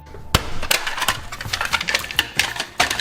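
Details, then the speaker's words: Cheap no-name 500 W Coolmax power supply, and a tester reads fail: sharp, irregular clicking and clacking as it repeatedly tries and fails to start, with no steady hum. "so no evidence except for the clickily clacks when this thing tries to so this actually did test the power supply that's pretty sweet"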